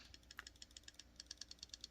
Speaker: that rattle is detent lash that means that the the detent ball uh has a little bit of excess space to move around in the hole